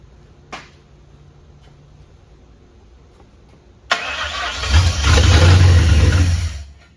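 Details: 1959 Ford wagon with standalone Lincoln Town Car EEC wiring: after near silence, it catches on sprayed starting fluid, roars briefly and dies; injectors fire but the fuel pump gets no signal; no-start from no fuel pump power.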